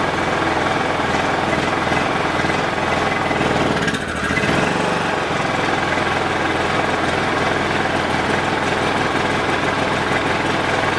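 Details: Dad's Honda 3000 generator, long unused, running on full choke: uneven, lumpy beat that never settles into a clean rhythm; the exhaust smells of horrible gas, so the stale fuel is to be drained and refilled with fresh.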